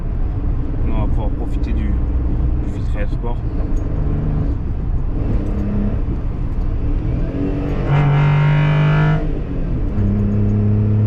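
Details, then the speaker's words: Seat Ibiza driving after both wheel bearings replaced, sport air filter fitted: steady road run with only low engine and tyre rumble, no growl or hum rising with speed; bearing noise gone, old bearings were both dead. "plus de bruit les deux roulements étaient morts bon on a trouvé"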